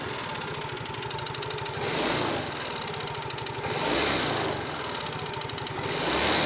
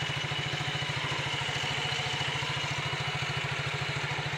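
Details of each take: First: Yamaha Mio GT scooter idling: fast, even clatter from the rear CVT gearbox side, pointing to worn variator rollers and slider play. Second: Yamaha Mio GT scooter, after the gap between the bushing and the roller housing was shimmed with a zinc plate to stop play: even idle putter of about three and a half beats a second with the CVT rattle gone.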